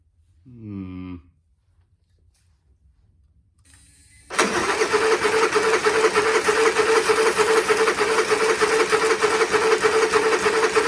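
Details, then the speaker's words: Honda EU30is inverter generator bought untested at auction, choke connector had fallen off: recoil pull-start sounds rough and rasping, then steady fast churning about three per second; it coughs once and never starts. "nothing try the pull St that sounds horrible well that sounds terrible Okay so we've got [Laughter] nothing that did not do anything did it um it coughed once and no more"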